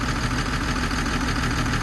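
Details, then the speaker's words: Old 140 excavator diesel (Mark 1 LC) just fixed and running cold, probably unserviced for about three years, after a simple fuel fault (not high pressure): steady idle with a slight miss, no heavy knock. The mechanic puts the miss down to cold and age. "it is got a little bit of a Miss but I think it's just cuz it's cold it's a old engine"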